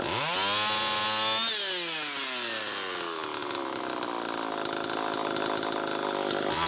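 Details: Homelite Super EZ chainsaw after the carburetor was fixed and the high needle reset from about four turns out to one; revs up, drops back, climbs to a thin high scream, running lean. Crank seal air leak suspected, almost certainly flywheel side.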